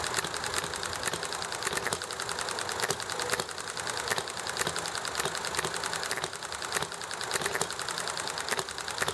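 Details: Enjomor small hit-and-miss engine: quick light ticking and tapping, fairly even throughout, with plenty of background chatting, highway and alley traffic noise; normal hit-and-miss running.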